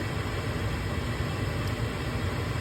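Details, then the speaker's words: Gas furnace that kept cutting out, restarted after cleaning the flame sensor: steady, even low inducer hum with no rattles or surging as the igniter glows; normal ignition sequence. "just a minute we'll hear the gas here comes the gas we got some blue planes and they're staying on"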